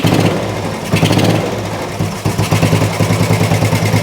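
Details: Old Royal Enfield 350 single, first start after long storage: uneven low idle thump with occasional stumbles, cold and choked-sounding, smoking; exhaust may be choking it (unconfirmed). Rough idle after long lay-up, though best start ever after standing.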